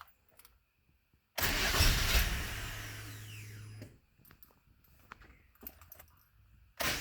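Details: 2000 Nissan Maxima, 118,000 miles, no check engine codes, security light off: starter cranks a couple of seconds with steady low drone and never catches, owner suspects no fuel getting through; fuel pump heard priming; hard start, extended cranking.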